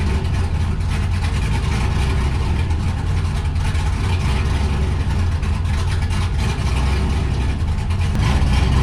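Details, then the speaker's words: 1969 Camaro with cammed LS swap at first start: deep lumpy idle drifting up and down instead of settling, a hunting idle; running slightly rich, owner tuning air-fuel ratio toward 14.5–14.7 before adjusting idle timing; cause unconfirmed. "It sounds like, and you can hear that like hunting idle. That's one of the things I'm trying to fix."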